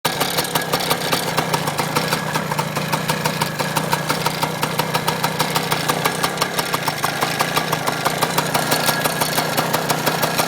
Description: my 95 pw80 is making a rattleing noise even after i put in a new piston and rings a day ago, Pretty much ony like 1 hour of running time on it sense rebuild.